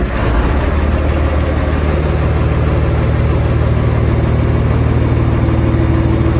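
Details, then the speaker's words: M35A2 truck with Continental multifuel engine, started on the button: deep, steady diesel rumble with even beat, no knocks or misses, over an air hiss from a leaking compressor line; healthy smooth idle. "really really strong engine starts perfectly every time on the button so see the DAT PL yeah so there we are multi fuel Continental engine crusty dirty well it runs sweet as a n"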